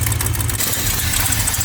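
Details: 1976 Plymouth Gran Fury station wagon V8, tick developed after a long road trip: steady idle with faint quick ticking over the exhaust note; owner suspects an exhaust leak, source still unknown.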